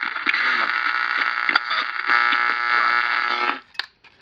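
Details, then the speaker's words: Estate-sale battery radio: harsh buzzing crackle with scattered pops and static cutting out abruptly; bad connections, likely the battery contacts. "All right, this is going to be an easy one. Just got bad connections here."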